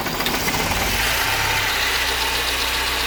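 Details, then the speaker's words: Mercedes 190 with M102 2.0 engine at idle: a quick hard knock about three to four times a second that remained after a timing chain replacement and vanishes when cylinder 3 is disabled. Teardown found a spun rod bearing on cylinder 3; the pin was fine. Connecting rod knock. "короче третий поршни либо палец либо вкладыш надо смотреть вот убираешь к исчезает"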